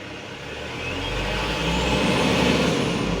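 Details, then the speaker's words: Mitsubishi Canter Euro 4 diesel truck with an electronic accelerator pedal that responds slowly to sudden throttle: the rumble climbs smoothly and steadily as the throttle is pressed gradually, with no stumble or hunting. Normal smooth rev rise. "Kita coba gas secara perlahan. Suaranya mesin, RPM-nya dia pun akan lebih stabil dan tenaganya akan terasa."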